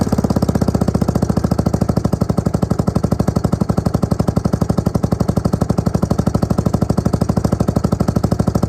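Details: Suzuki LT250E Quadrunner quad after fuel pump replacement for fuel starvation, idle and starting problems: even, rapid single-cylinder thumping at a steady beat, no surging or stumbling; now fixed, running normally.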